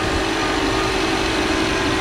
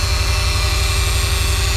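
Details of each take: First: 2014 Subaru Forester after AC repair, engine idling with AC on, heard under the hood: even idle, no grinding, rattle or whine, noise gone; pressures good, vents about 44–45°F; compressor healthy. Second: 2014 Subaru Forester with used AC compressor installed last year, AC on, engine running, not cooling (80°F vents): harsh steady whirring drone with hissing rasp from compressor, large leak at line o-ring or case seam; compressor must be replaced.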